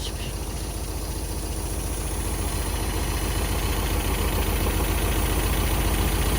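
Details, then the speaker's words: 1974 MGB four-cylinder parked 30 years, hot-wired and revived. Steady low idle beat with a light tinny rattle from the rear, a loose exhaust pipe. Rattle at idle. "a little rattly back there there's something rattling I think yeah I think the top is loose yeah that's exhaust PP rattling"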